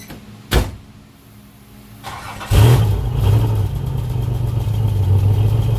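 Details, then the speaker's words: Nissan 300Z idling: uneven, lumpy low thump with regular stumble, a dead miss; suspected injector power wire or failed injectors, missing worsened when wiggling the wire by the ECU. "As you guys can hear, the 300Z has a dead miss. Like I said, it's either the wire, the power wire to the injectors, or the injectors just kaput."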